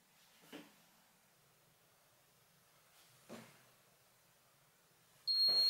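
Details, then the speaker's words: Fibaro Z-Wave FGFS-101 flood detector placed in water: a couple of dull knocks, then a short quiet high-pitched beep, its water-leak alarm, faint enough that an external siren is used. "Donc évidemment le son est tellement faible que c'est la raison pour laquelle j'utilise entre autres une sirène,"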